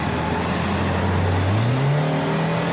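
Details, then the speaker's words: 1998 Plymouth Breeze automatic on a test drive: engine note climbs steadily under throttle and settles cleanly, shifts nice with no flare or slipping; transmission is good. "shifts nice honestly doesn't slip transmission is good"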